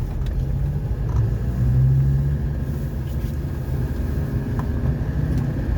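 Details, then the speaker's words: 2016 Land Rover Defender converted from diesel to petrol, test drive after engine carbon cleaning: steady low rumble with an even engine note, no misses, knocks or surging; running smoothly. "how's it feel [ __ ] beautiful yeah man it's so smooth"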